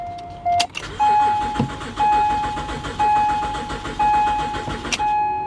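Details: Car at Copart with 73,000 miles and little fuel: the starter churns steadily for several seconds under a repeating chime, but the engine never catches; long crank, no start, rotten gas suspected.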